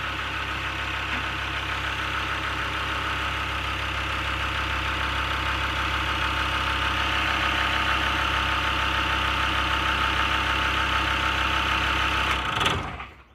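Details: Land Rover Discovery 2 Td5 diesel with manual gearbox, suspected bottom-end failure: steady even clatter at idle with no misses or knocks, then a clean shutdown; sounds smooth and healthy.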